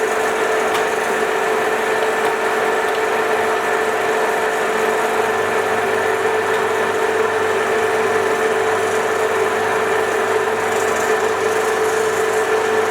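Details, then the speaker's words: 1966 Soviet Stanko 1A616 lathe, first run after arrival: a steady hum with a constant rough scraping rub from below. Owner suspects the drive belt is rubbing on something. "so cool it's making some pretty terrible noises from down here sounds like the belt's like rubbing on something"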